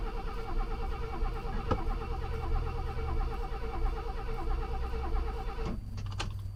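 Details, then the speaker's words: Classic Mercedes not run for over five years, after fitting a secondhand fuel pump, oil put into combustion chambers: steady rhythmic cranking about five seconds with no catch; crank no start, flooded engine. "oh yeah she was uh a little bit flooded due to the oil that i put down the uh combustion chain"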